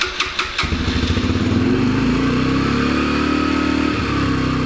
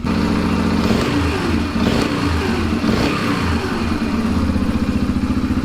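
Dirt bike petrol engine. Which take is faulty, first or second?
first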